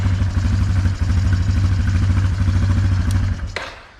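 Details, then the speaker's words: 2009 Yamaha Wolverine 350 ATV: fast steady single-cylinder idle with an even beat, then it fades out; idling high on choke and dies with the choke off. "see how it's idling high because the choke's on you turn the choke off and the bike dies"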